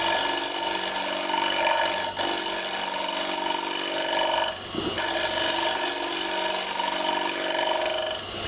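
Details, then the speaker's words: Wood lathe roughing a square platter/bowl blank with a bowl or spindle gouge, flute turned up for a light pull cut: even, light swishing with soft ticking about four per second as corners pass; clean unforced cut, unlike earlier forced noisy cut. "By turning the cut up and taking a light cut. Now what I do is I listen to the sound."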